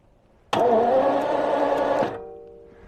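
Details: 1977 Jaguar XJ12 V12 after a long drive: it backfired with a loud boom and quit on a hill. Starter whirs about 1.5 seconds with no firing. Spark is present; there are marks in the distributor cap and the rotor is riding its edge. Cranking no-start.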